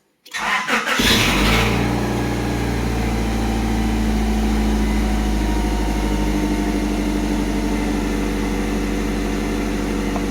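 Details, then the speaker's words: Honda Civic bought three days ago with issues, towed home, partly disassembled (a solenoid disconnected): short click-clack burst as it catches on start-up, then settles to a smooth steady idle; owner unsure of the tick's cause. "you probably heard that little bit of click clacking at the beginning if you have any ideas please do let me know what that was like said it runs smooth"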